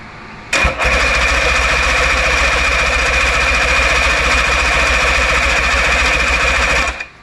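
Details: 1958 Johnson Super Seahorse V-4 outboard, first start attempt after 5+ years sitting, choke used once then off; about six seconds of steady, fast-pulsing cranking with no firing; crank no start, magnetos possibly dragging, plugs and spark to be checked.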